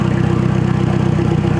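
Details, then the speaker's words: VW Mk2 Golf GTI with a newly installed 1.8 turbo engine, first start: steady, even idle with a low pulse, after an initial bad misfire; owner suspects low fuel. "So, as you can hear, she's running, which is excellent."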